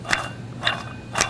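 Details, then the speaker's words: Removed water pump from a 1995-2001 (4th gen) Nissan Maxima, likely a failed aftermarket unit, shaft turned by hand with noticeable play: three dry gritty clicks about half a second apart; worn water pump bearing. "camera I if you can see that it's got a good amount of play and listen to that"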